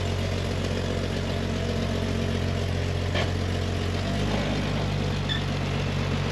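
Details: A 1999 Jeep Wrangler TJ after a DIY fuel pump replacement (the old pump was suspected clogged from a dirty tank) settles into a low, steady idle rumble with an even beat and no dying out. It runs healthy.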